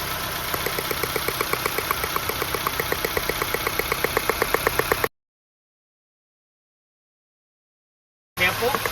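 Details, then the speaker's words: 2005 Nissan Pulsar N16, 220,000 km, idling after replacing original ignition coils with aftermarket coils: crisp even ticking about four times a second over smooth idle; normal ignition spark ticking, dimmer ticking, runs better than before. "All right. It's very dim ticking sound. Well, it's not a huge difference, but it's still better than before."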